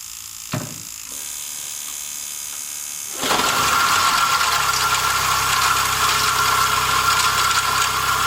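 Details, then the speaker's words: 2006 Toyota Highlander Hybrid V6, just started: a constant gritty grind with a thin high whine rides over the idle. This is a failed timing-belt-driven water pump with bearings and seals gone, not the blown engine another shop claimed. "That is, my friend, absolutely typical sound of failed water pump. In this case, the water pump on this design of this V6 engine, it's driven by the timing belt which runs around it."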